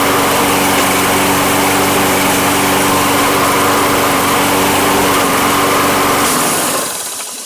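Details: Toro Recycler mower with Kohler engine that had run and died: smooth, even buzz at steady speed with no surging or stumbling, then winds down cleanly at shutoff.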